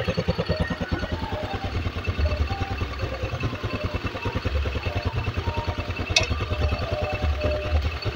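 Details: Honda Beat carburettor scooter the owner says uses far too much fuel, idle that was set too high now adjusted, carburettor not yet serviced: low, even single-cylinder putter about three beats a second, steadier than before, a normal idle.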